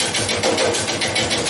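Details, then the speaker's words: Wood lathe at relatively low speed roughing a bowl blank from a yard tree: quick even tapping, about six or seven a second, over the whir as the tool hits high spots on the still off-balance, not-yet-round blank. "that tapping. It's still not, it's obviously not round yet."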